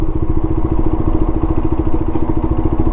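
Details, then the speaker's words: QJMotor Race 250 single-cylinder motorcycle coasting in a high gear, lugging at low speed: slow, uneven chugging under a labouring exhaust note; rider downshifts. "开始喘，再降个档。"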